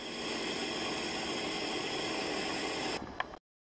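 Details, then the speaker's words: Vehicle at −8 °C, first start of the new year, revved to redline and smoky, then shut off: a steady airy hiss continues for about three seconds after shutdown, then cuts out; source unknown. "uh oh something's hissing after it's been turned off"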